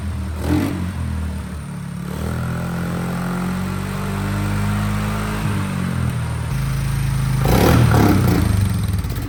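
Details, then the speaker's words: 2006 Polaris 500 ATV, fire-damaged and stored unused for 2 years, first good start after fitting the correct wiring harness: low steady putter picks up with light revs, then settles and runs evenly; normal start and running, engine fine. "we just throw that in and try to turn it over and find finally we just started we got a lot of small cuz there was first good start and full running ATV at that time so"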